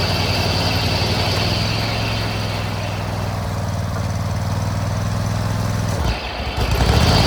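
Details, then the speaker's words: Hustler Raptor zero-turn mower after 5 seasons, started by jumping the solenoid (battery tested good); steady engine drone sags and dips as the deck is engaged, motor wants to shut down; owner plans a new solenoid first, cause unconfirmed. "you hear that you hear how it weakens the motor wants to shut down"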